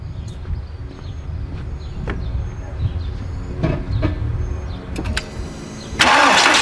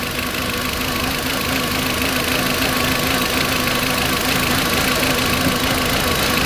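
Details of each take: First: 2004 VW Beetle 1.8 Turbo after repairing a vacuum leak on the brake booster hose with epoxy: engine cranks, catches and settles into a steady, even idle; rough idle and hard brake pedal gone. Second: 2004 VW Beetle 1.8 Turbo idling unevenly with an uneven pulse and steady airy hiss from a vacuum leak at the brake booster line, also causing a hard brake pedal.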